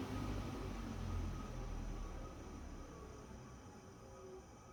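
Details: ILG Model 183 fan with new bearings, after a pre-load spring washer is fitted between front end bell and front bearing: the motor hums low and even with no rattle, smoother and quieter than without pre-load.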